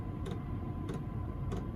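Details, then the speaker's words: Workshop pre-heater on a 12 V 30 A supply, dosing pump after being made quieter: soft single ticks about every 0.6 seconds over a low hum, barely audible, normal pumping. "But as you can hear now, it's virtually, you can hardly hear it."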